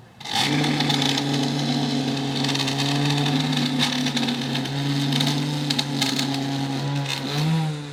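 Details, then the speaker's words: ECOVACS GOAT A3000 Pro robot mower, TrueEdge trimmer running along lawn edge after update: steady low motor hum with constant crackle of grass being cut, no rattles or straining; normal edge trimming, much closer to the edge. "Is it going to get better at this edge? You can already hear it's cutting quite a bit. I'd say that's some pretty good improvement."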